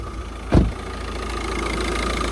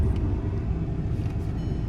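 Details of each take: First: VW Jetta diesel with throttle actuator error code and loud clicking after shutoff, code just erased: steady idle with uneven clattery rattle and faint constant tone; rough rattly idle. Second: About 2006 VW Jetta TDI diesel after fixing P2108 throttle actuator flap code, which clicked after engine-off: steady even low diesel rumble, no knocks, misses or hunting; no codes, no engine light, pulls well uphill.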